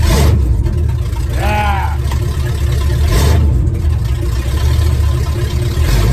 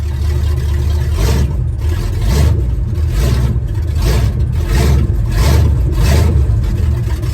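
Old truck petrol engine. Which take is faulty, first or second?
second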